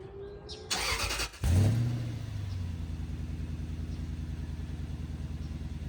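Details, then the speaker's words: Toyota 100-Series Land Cruiser after exhaust repair with welded pipes: engine cranks, catches with brief flare, settles to smooth steady idle; no leaks, no rattles, pipe clears chassis, moderate rumble. "No rattles. The pipe doesn't hit the chassis anywhere. It's the perfect amount of uh rumble in the car. Not too loud."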